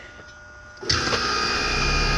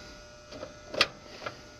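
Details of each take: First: American Standard AC unit that kept tripping the breaker and running hot, after a weak capacitor was replaced with a new 35/5: compressor and fan start sharply, then settle into a steady even hum and whir without rattle, normal running. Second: American Standard condenser unit that kept tripping the breaker and running hot, just after weak capacitor replaced with new 35.5: sharp metallic ticks about twice a second from a loose part rattling inside, about to break loose and possibly clog the system.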